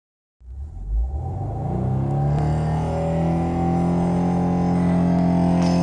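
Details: 2017 Subaru WRX: steady droning whine from the clutch area once the engine runs, same whether hot or cold, moving or stationary; throwout bearing suspected, not confirmed.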